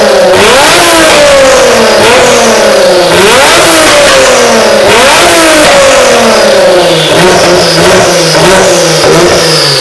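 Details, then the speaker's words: Warm Kia twin-turbo V6 swapped into a DeLorean, first run on a base map from a previous Kia engine: crisp repeated throttle blips with clean, even pitch sweeps and no knocks; normal free revving, a few bugs left to sort. "so the car finally ran we're really stoked that everything was working good"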